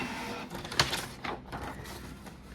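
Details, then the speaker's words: Canon G2010 inkjet printer after fixing paper that fed only partly then jammed: now feeds and prints normally with soft whirring and a couple of sharp clicks. "นี่ครับก็ดึงกระดาษปกติแล้วนะครับเดี๋ยวมาลุ้นสีกันนะครับว่าหายมนะครับ"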